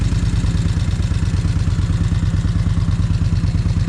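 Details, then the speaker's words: Kawasaki Vulcan 1600 on its first start after a freshly filled, charged battery: steady fast clacking, about three per second, from the rocker arms over the twin's idle; the charging system reads 14.7 V. "Okay, she's running. You can definitely hear them rock arms clacking."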